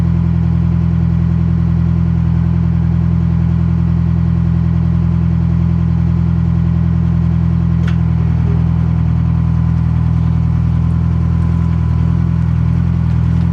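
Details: Detroit Silver Series 4-53T turbo diesel at steady idle after the exhaust was rebuilt with two 24-inch, 4-inch resonators in place of the 5-inch one: deep, even rumble with no drone or rattle, and the exhaust note is almost inaudible.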